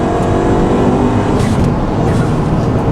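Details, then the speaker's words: Ford Fiesta ST turbo four on E85. Revving has a tinny, raspy edge over the exhaust; owner suspects a failing motor mount, cause not confirmed. "It sounds it sounds tinny. Like tinny, like a tinny, like raspy exhaust. It almost sounds like raspy."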